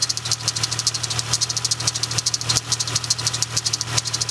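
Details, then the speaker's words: Chrysler 300 being repaired for overheating, idling after the thermostat was refitted and coolant added, with no leaks: sharp, uneven high chirps about three a second over a steady idle hum. One belt pulley is making noise. "One of these pulley is making a bit of a noise, so that's going to have to be looked at."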